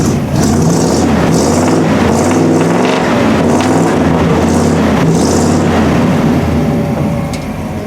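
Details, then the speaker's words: 1948 Ford 1-ton pickup flathead V8 with new Thrush mufflers: deep throaty burble rising and falling with repeated revs, about four pulses a second at idle; healthy, 30 psi oil pressure. "See if you guys can hear the exhaust here. I'll let you listen. I put some, he wanted it to have a rumble. So I put some old thrush mufflers on it."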